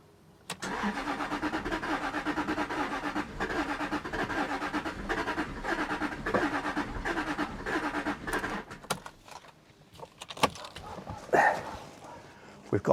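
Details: 2001 Jaguar XK8 coupe, AJ27 engine, not run in 10 years, with relay swapped: about eight seconds of steady starter cranking with a few catches of firing, then dies without starting.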